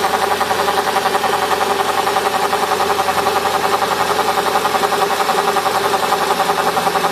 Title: CLK 500 buzzing sound